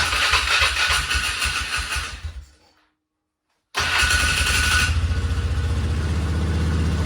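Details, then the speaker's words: 2000 Polaris Sportsman 500 6x6 ATV, revived after sitting two years: engine dies, restarts promptly and settles into a steady, even single-cylinder thump at idle after debris blew out of the clutch case; running better, normal. "But it's definitely running better, so."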